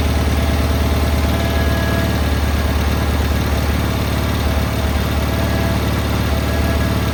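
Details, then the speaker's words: Cub Cadet 682 garden tractor with Kohler KT17 twin, first start with mice remnants, solenoid jumped: steady, even low thump at fast idle, no misses, knocks or rattles; started right up on first try, runs healthy. "Started right up. That was actually the first start."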